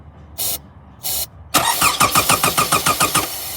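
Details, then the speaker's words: 2006 Toyota Camry 4-cylinder, check engine light on: steady starter cranking with even compression beats but no start; fuel pump suspected, but disconnecting and reconnecting the battery made it start. "So my car a few days ago would just crank and it wouldn't start."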